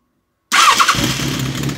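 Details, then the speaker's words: 2005 Kawasaki ZRX 1200R first start after rebuild with Yoshimura TMR-MJN flatslide carbs and new battery: starter whirrs briefly, engine catches at once and settles into a steady even idle; clean healthy start. "oh yes first keg just let it warm up for a second or two"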